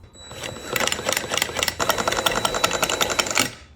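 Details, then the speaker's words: Formerly seized Stihl chainsaw, bottom end lubed, coil removed, cleaned and regapped: uneven, clattery ticking as the cord is pulled, speeding and slowing with each pull and never catching. Rough cranking, no spark, no start. "Ooh, that sounds bad. Well, that's all I got for this video. The chainsaw is no longer seized. We don't have spark."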